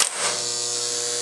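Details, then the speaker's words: Electromechanical pinball flipper held up with the button down: a brief click, then a faint, steady, even buzz from the low-power hold coil. This is normal. The buzz gets much louder, and the lights dim, if the flipper is forced out of position. "so you can hear a slight buzzing when I have the flipper button held down but if I reach and move the flipper out of position the buzzing gets much louder"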